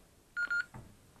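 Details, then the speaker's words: Retevis PMR radio after a DIY lithium-ion battery upgrade. Two short, identical high-pitched beeps on power-up are its low-battery warning, because the new battery isn't fully charged yet. Radio works, wired correctly. "so as you can hear radio's came on so we know we got it wide up right way but the battery is not fully charged so that's why it's"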